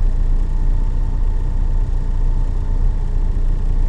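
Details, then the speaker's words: 1974 Valiant at cold idle on choke, which set properly on the third start attempt; vacuum gauge reading rises as it warms: steady low rumble, even pulse, no knocks or misses; normal cold idle. "And that vacuum strength is actually gaining a little bit here as the engine warms up and as it stays with the choke"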